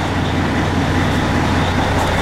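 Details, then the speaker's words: Truck diesel just started cold after water pump replacement: low steady rumble, even idle, no knocks or misses; oil pressure about 45, not above 49, idle to be raised to about 800; normal cold idle. "my engine oil pressure is rolling at about 45 should go up a little higher as cold as it is it's just cold so it's just at an idle"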